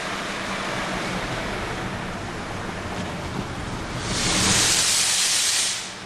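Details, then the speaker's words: 1998 Mercedes E320 driving in sport mode, disintegrated passenger-side cat blocked exhaust, hole pierced in exhaust as temporary fix until replacement cat, check engine light flashing: steady airy hiss swelling on throttle; exhaust leak from pierced hole. "so I'm driving the car and it actually drives fine except that got the hissing sound"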